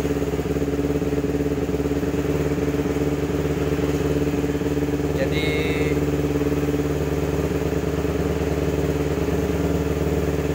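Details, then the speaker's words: Kawasaki Ninja 250 carburetor twin after replacing its weak original battery with a new one: steady, even idle with a smooth low burble and no misses or knocks; running healthy. "Si Merina sudah hidup lagi. Terima kasih. Begitulah untuk suaranya si Merina, akinya sudah mantap. Hidup, guys."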